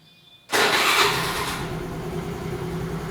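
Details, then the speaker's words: Honda Activa 4G scooter after a Bendix drive repair for a starting problem: a brief starter whirr, then the engine catches at once and settles into an even idle, a normal electric start. "तो अभी के लिए एकदम सही काम कर रहा है"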